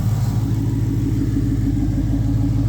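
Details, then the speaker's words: 2003 SVT Cobra V8 idling after an earlier tapping/knocking noise was fixed, good oil pressure, possibly some air still in the system. Deep, even, smooth rumble with no ticking or knocking. Normal idle. "Sounds excellent though. Super smooth, good oil pressure."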